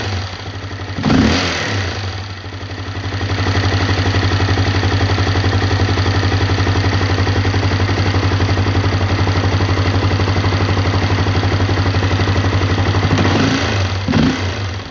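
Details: Honda CRF250L single-cylinder at idle: steady low thump with a regular knock on each firing stroke, brief rev blips at start and end; engine knock, cause unknown.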